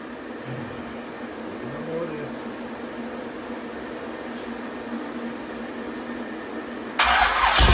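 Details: Rebuilt 426 Gen 2 Hemi crate engine (new heads, intake, pistons) on a run stand, flat-tappet cam break-in around 2500 rpm, warming to about 210°F: steady even fast idle, no knock or tick; cam broke in without failure, excellent oil pressure.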